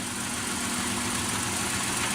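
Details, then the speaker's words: Ford Ranger 4.0 OHV V6 idling, which keeps fouling the number 3 plug: steady idle with light ticking from the rear, behind hiss; owner suspects bad lifters or a blown head gasket, unconfirmed. "And as you can hear, I guess kind of from the back here, the ticking noise, part of me thinks it's bad lifters, part of me thinks it might be a blown head gasket."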